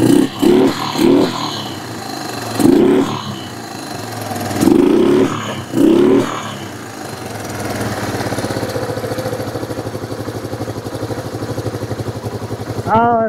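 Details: Kawasaki Bayou 300 ATV on an aftermarket carburetor while the idle knob is adjusted: throttle blips, then an uneven, lumpy idle. It is running, but not well, and is likely cold natured, doing better once warmed up.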